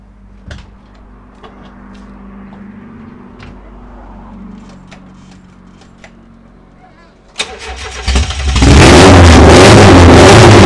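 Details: VAZ 2108 with tuned 16-valve engine and individual throttle bodies: quiet, then the starter catches and the engine fires into a loud, even run with a deep steady rumble; sounds healthy.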